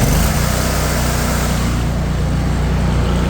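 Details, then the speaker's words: Cub Cadet Tank L48 zero-turn mower, Kohler 694 cc engine (owner thinks 24 hp), 206 hours, brought back up to high speed after idle: loud, steady, smooth engine note with no knock, miss, vibration or smoke; normal high-speed running. "No bad vibrations or knocking or pinging or smoke, anything like that. Exactly what you'd expect out of such a new mower. I'll idle it down for you. Runs super smooth, bring it back up."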